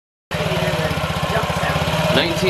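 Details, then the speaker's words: 2017 Honda Ruckus NPS50 50cc four-stroke scooter idling at almost 3,000 rpm, read on an inductive spark-plug-wire tachometer: quick, even single-cylinder patter well above a normal tickover; idle speed set far too high, before adjustment. "RPMs this is my idle speed it's obviously way too high this is why attack Elementary is so important because I never would have known it was actually almost 3 000 RPMs idly"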